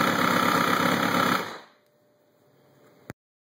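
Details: 2003 Kawasaki Ninja 636 after valve adjustment: steady, fairly even tick about four per second over idle until shutdown; abnormal mechanical noise, source unconfirmed.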